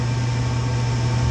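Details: Rheem furnace after the noisy inducer motor was replaced with a new motor and gasket; the manometer reads -1.0 inch water column. Steady low hum with an even tone and no rattle or scrape; the inducer runs normally.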